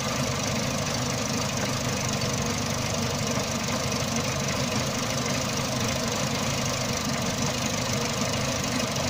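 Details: Renault Megane Mk1, hot engine at idle: lumpy, uneven beat stumbling under a steady hum; runs fine cold, short-term fuel trim -50 to -80%, long-term +25%, no codes, power loss, compression 14.25–14.75 bar; MAP, lambda, idle valve, coils already replaced; rough idle with misfire.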